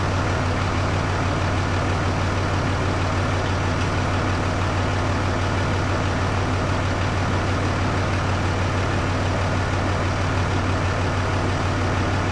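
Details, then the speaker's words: Rebuilt truck fired up with the door open after the odometer was swapped from miles to kilometres: deep, even idle at one steady pitch, no misses, knocks or rattles; no leaks so far, a little squeak noted; normal idle. "She runs just like some sort of a feline, eh? She runs just like a friggin' feline, boys."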